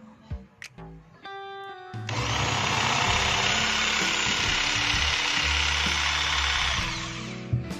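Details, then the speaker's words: Makita 4327M jigsaw after about 2 years of use, speed dial at low setting (speed one–two): steady even high buzz for about five seconds, no rattle or speed hunting; motor and switch healthy. "Jadi, sampai saat ini, ternyata tombol sakelar masih berfungsi dengan baik dan tidak rusak sama sekali."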